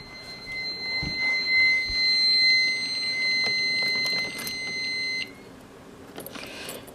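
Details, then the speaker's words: Fire alarm panel in alarm with notification appliances disabled, door-holder magnet releasing the door: continuous high piercing piezo buzzer tone for about five seconds, then stops; panel buzzer alarm. "so the only thing you're going to be seeing is the piezo buzzer going off"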